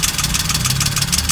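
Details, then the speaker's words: Suzuki Alto 800 (800cc engine) at idle; short uneven idle with an irregular stumble in the exhaust beat, a misfire traced by connector unplugging to the third cylinder, caused by a clogged injector. "so let's hear this engine and find out such a way you can hear that you have a misfa in this engine"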